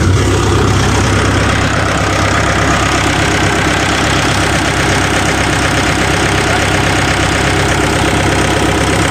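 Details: Volvo EC140 excavator, D4D diesel, running after the worn fan belt tensioner was replaced and the serpentine and AC compressor belts were reinstalled. An even, steady idle with no squeal or chirp from the belt drive. Smooth and healthy.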